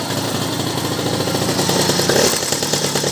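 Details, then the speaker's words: MBK 51 Magmax two-stroke moped with new Moriyama ignition, warmed up at idle: uneven idle with light metallic clinking at low revs, which the owner attributes to the roller variator; the noise disappears when accelerating. "entend le variateur, je pense qu'il fait son petit bruit un peu gênant. Voilà, là on entend bien. Et ensuite quand on va accélérer, on entend plus."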